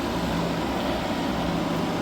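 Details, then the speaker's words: Hyundai portable air conditioner after leak repair and recharge: steady even hum with low compressor tone and smooth fan rush; no longer icing up, running cold and normal. "But you can see it's not it's not icing up. Before it was icing up straight away as soon as you turn it on."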